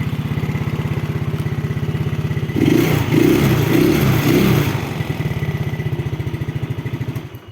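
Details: 2009 Yamaha Mio scooter, throttle blipped from idle: even, steady firing pulses rise smoothly and settle back; a clean, healthy engine with no knocks or rattles, normal revving.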